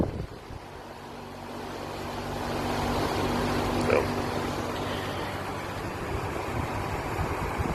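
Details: Goodman outdoor AC unit installed October 2023 with a hard start kit, switched on from a Nest thermostat: low drone swells over about three seconds into a loud, strained roar; abnormal compressor startup, cause unknown.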